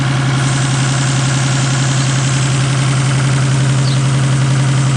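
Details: 1987 Toyota Supra Turbo, just bought; new platinum plugs fitted (old ones fouled) and high-octane fuel added. Steady low idle with an uneven, stumbling beat and periodic loping pulse: misfire at idle, cause unknown.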